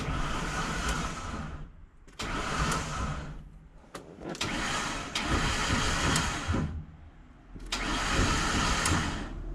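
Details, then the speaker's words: Ford E250 van: harsh grinding crank bursts with no start; starter gone, transmission housing cracked at the starter mount, and a broken solenoid ground wire suspected of stopping flywheel engagement; battery at 12.5 V. "That does not sound good at all. Uh-oh. That actually sounds really bad."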